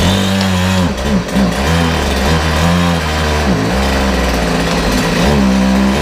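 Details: Homelite two-stroke chainsaw, after its chain brake was serviced and the saw had been tipped up a few times: steady buzz with quick throttle dips and recoveries, no misfire or bogging, running clean and healthy.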